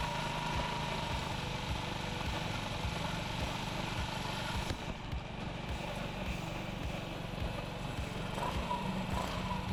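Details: Honda Ruckus single-cylinder scooter with replacement carburetor and new fuel line, warming up after start while idle screw is turned up: low, loping, uneven idle that lugs and nearly stalls, needing more idle.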